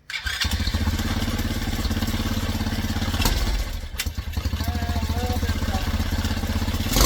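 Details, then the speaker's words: Tao Cheetah kids' 125 quad with PZ22 carb (replacing VM20), pilot jet just raised from #35 to #40, first start: small single idles evenly, then stumbles briefly on throttle snap before picking up. Still hesitating; mixture screw then at 1.5 turns out. "Still hesitating a little bit."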